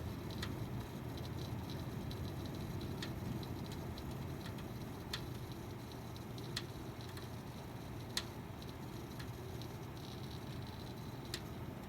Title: Pc making weird crackling sound